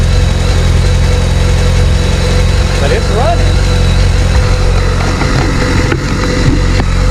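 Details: Abandoned 2007 BMW K1200GT, fuel-injected inline four with 68,565 miles: even, deep idle with a steady low throb, then it dies as soon as it is put in gear; cause unconfirmed.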